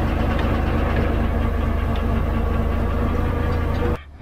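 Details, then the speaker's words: 12-ton diesel grader after a new drive chain and an oil and filter change; the chain is unfilled, with oil poured over it. Low, steady idle with an even drone and no binding knocks for four seconds, then an abrupt cut-off. The chain runs well. "going around pretty well, so I'll back those bolts off, put some sealant around that hub, and then do that back up, because I'm pretty happy with that, I think."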